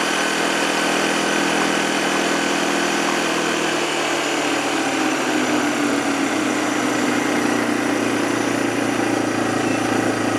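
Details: 2007 Arctic Cat ATV 400 engine at steady, even idle, faint tone edging up midway, no misfires or knocks, after sitting a year and a half; fixed with carburetor cleaning and a new spark plug, runs healthy.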